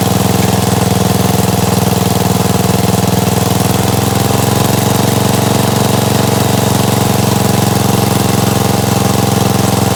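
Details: Gravely 816S with a 16HP Briggs single and a replacement Chinese carburetor, rigged-up ignition, first run after about a month: steady, even idle with a smooth regular beat and no stumbles or surging; normal idle.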